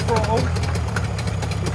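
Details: Abandoned boat's Mariner 30hp outboard, started with throttle worked by hand because the accelerator piece broke: steady, even low putter settling into a smooth idle with no knocks or misses; sounds perfect, though there is a small petrol leak.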